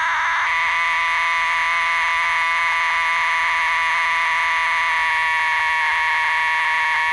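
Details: Transistor radio AF amplifier stage (LM386 mod attempt): constant raspy buzzing with no program audio; signal clean at volume control but garbled at driver transistor; resistors, driver transistor and capacitors already replaced, cause still unknown.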